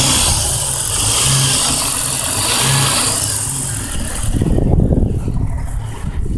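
Inline-six idling with a dull, uneven knock riding under the idle, getting louder with revs; a knock of unconfirmed cause, possibly bottom end.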